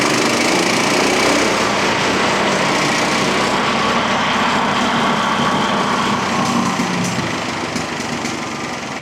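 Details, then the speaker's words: Brand-new 15 hp engine on a freshly assembled MechMaxx P4205 5-inch wood chipper, first start with throttle not turned down: roars at high, steady revs straight away, even with no knocks or misses; drum works as it should. "I didn't have it turned down, and so it started revving right away. I didn't mean to do that to a brand new engine."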